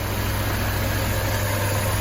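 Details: Porsche 968 after a cam chain and tensioner pad replacement, fully warm with the fans cycled on and off; earlier lifter ticking is gone. A steady, even idle with a smooth low hum and no knocks or misses: normal warm idle.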